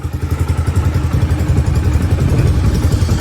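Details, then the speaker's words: Honda Sonic 125 single idling right after oil change, no throttle; steady even low thumping, no knocks, ticks or rattles, described as very quiet; normal idle. "เครื่องเงียบๆเลยคันนี้"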